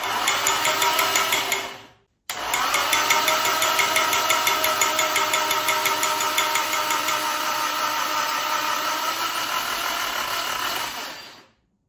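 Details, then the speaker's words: SR20 engine swapped into a Datsun 200B, first start after weeks sitting: a fast metallic lifter rattle that quiets as oil pressure builds. Lifters likely bled down from lack of oil. "You could hear it quieting up there. It was very noisy. I think that was lifters might have bled down, so that was rattly as."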